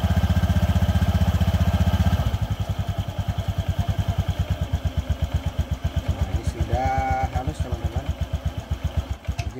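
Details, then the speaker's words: Honda Vario FI 110 after CVT primary and secondary components replaced to cure rough noise on acceleration and idle: steady, even pulses about four a second settling into smooth idle, no rattle or grind; rough CVT noise gone. "bunyi kasarnya sudah tidak terdengar lagi, ya, Teman-teman."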